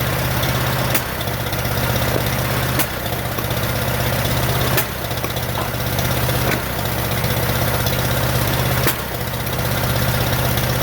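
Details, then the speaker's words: 1947 Farmall M tractor after rebuild, plug wires swapped after a timing check: low, lumpy idle stumbling every couple of seconds and popping from the carburetor. It runs on only two cylinders with no power; reversed plug wires were later found as the cause. "I still can't seem to get it it's only running on my two cylinders that I cannot figure out there's also a lot of popping coming out of the carburetor"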